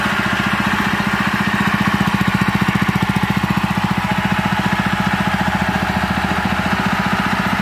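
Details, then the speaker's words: Honda GX160/200 small engine after replacing the worn piston and damaged governor gear (it had white exhaust smoke and throttle stuck high): even, regular single-cylinder beat near four pulses a second, calm and steady without roaring; normal running. "Suaranya kembali tenang, tidak menggelegar lagi. Semuanya sudah beres sekarang, teman-teman."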